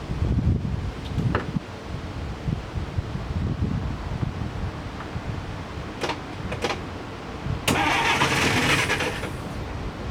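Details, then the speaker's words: 1947 DeSoto no-start: engine cranks fine and briefly catches and stumbles on a squirt of gasoline, then dies; next checking fuel at the carburetor line. "see as you can hear it tries to start so i know that the fuel everything else is fine if i were to get somebody to just keep squirting a little bit of gasoline in there the engine would run"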